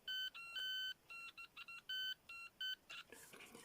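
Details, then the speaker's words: Homemade late-1980s pitch-indicating continuity tester on an unknown transistor, positive probe on the base: bursts of short clear high beeps as both junctions conduct; reverse-biased junctions gave nothing. "so let's put the positive on that Junction and oh look we've got him we've got partial continuity to that one and Marshall continuity to that one"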